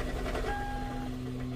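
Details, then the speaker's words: Gen 1 Prius (2001–2003) with misfire and failed-start errors: engine cranked by hybrid motor clunks and rattles under a steady hum because fuel pump only runs when cranking, so no fuel pressure yet. "now right now you hear that clunking that's because there's no gas pressure"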